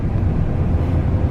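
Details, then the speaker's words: 2000 Ford F-150 running rough with the check engine light on: low, lumpy idle that wavers and misses a beat. Code reader shows cylinder 4 misfire; coil pack (or injector) suspected, coil pack replaced. "running rough. It's missing. Definitely seems to be missing."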